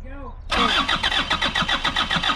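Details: Isuzu P'up turbo diesel four-cylinder mini truck sitting 28 years, on dirty parts-washer fluid, no starter fluid: quick even cranking beats about seven or eight per second, spinning briskly with no firing; cranks but no start.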